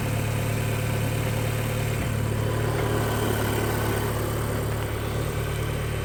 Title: Audi S3 8P1 knocking noise on cold start